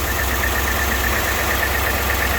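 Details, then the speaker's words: Silverado V8 idling with valve cover off: slightly lumpy low beat under light steady valvetrain chatter; one intake rocker is not bouncing, a stuck bad lifter causing the misfire, engine must be torn down. "they're all bouncing except this one right here so you got that one that's not bouncing so we got a bad lifter on the intake and cylinder sticks right there there it is bad lifter got to tear it down"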